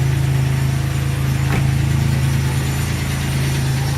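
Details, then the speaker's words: 2002 Chevy Malibu 3100 SFI V6 idling cold with a dull knock of about four a second; loose cylinders give piston slap until warm, and the noise goes away when the throttle is opened. "and of course it's a it's one of those 3100s and you're going to hear the knocking because uh you might understand they're loose cylinders so uh you get that you get that wrap until it warms up"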